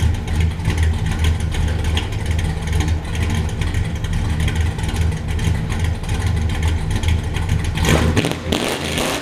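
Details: 1967 Buick Special with 415 hp small-block Chevy 350 and Muncie M21 4-speed, after fuel tank cleaning and sending unit repair: even, steady V8 rumble with a clean rev and no knocks, misses or stumbles; healthy running.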